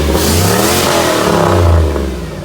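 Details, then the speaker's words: 2001 Chevrolet Silverado 6.0L V8 with a newly fitted big truck turbo: revs climb and settle smoothly with even firing and no knocks. The exhaust gets loud with rpm, and it is thought to run rich or lean. Normal revving. "exhaust Get Loud it's really it's lean with RPM"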